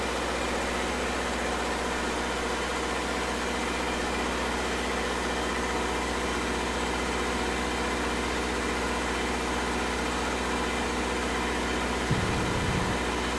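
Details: Restored Red-D-Arc D300K welder generator with Kubota V1902 four-cylinder diesel, idling during oil pressure and water temp shutdown-switch tests: steady, even idle with firm low thrum, no knocks or misses; healthy.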